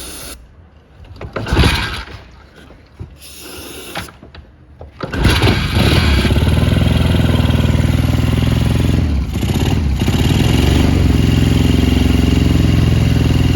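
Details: 1977 Triumph Bonneville T140 750cc twin, US import, 8,138 miles, hot-wired without key: a few kicks and it catches, settling into a steady, even, deep-toned run with no knocks; engine sounds healthy.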